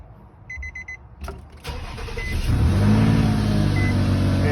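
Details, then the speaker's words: 2008 Nissan Maxima, just bought, that goes into reverse but not drive. Started and idling loud with a steady puffing tick from a known exhaust manifold leak. "just so you guys know i do have a exhaust manifold leak that's why it sounds so loud"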